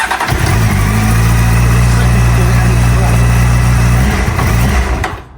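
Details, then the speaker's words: Honda Hornet CB600 motorcycle started stone cold on choke: starter cranks, engine catches and runs a few seconds, then dies away, repeatedly cutting out. Mechanic suspects a fueling issue, possibly carbs or damaged vacuum tubes. "It's just cutting out. Yeah, it's not having a bar of it. So I believe we've got a fueling issue here."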